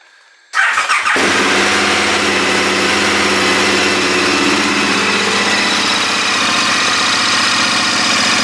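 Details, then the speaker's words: KTM Adventure 1290 large-capacity twin cold start: engine catches and settles into a fast busy idle with lots of metallic clatter, normal for this engine when cold. "c'est un moteur qui quand vous allez le démarrer à froid là la moto est froide vous allez pouvoir l'entendre on va entendre beaucoup de bruit métallique euh tout ça c'est normal"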